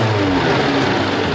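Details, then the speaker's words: 1975 Toyota Celica Liftback 2000GT with a freshly rebuilt restoration engine: a short rev with a smooth, clean rise in pitch and no rattles or knocks. It idles stably around 1000 rpm with low vibration; further tuning is still planned. "ただおとなしいってだけじゃなくて、やっぱ回転数上げていくとねやっぱいい音しますから、ちょっと回転数上げますよ。お願いします。おお気持ちいい素晴らしいよね。"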